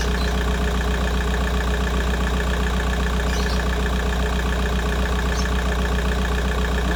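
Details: VW Golf 4 idling cold after replacing the water pipe seal on the cylinder head to fix a coolant leak, no leaks found, left running to reach 90°: steady, even idle, smooth low hum, no misses or knocks; normal idle.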